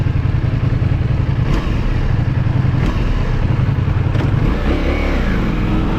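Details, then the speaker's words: Ducati Multistrada V4S at about 16,000 miles, in first gear slowing to a stop with the clutch fully in: the lumpy idle falters and sags, then the engine stalls. Fixed by adjusting the throttle bodies. Engine stalling at idle. "keep an eye on the clutch you'll see i was in first gear coming to a stop and the bike just stalled and i'm gonna play it in slow motion afterwards so that you can clearly see that i'm not letting out the clutch the clutch is in fully and for some reason the bike just stalled"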